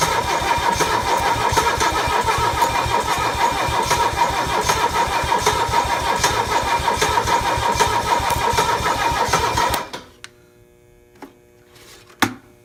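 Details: Mercedes OM617 diesel with newly installed glow plugs: steady, even starter churn for about ten seconds without ever firing, then silence; cranks but won't start.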